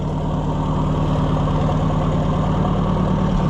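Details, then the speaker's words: Oliver 550 tractor during tune-up, recently revived: deep, even idle thump about three beats a second with no misses or knocks; running smooth and healthy. "No, that thing is a sweetheart. Listen to it."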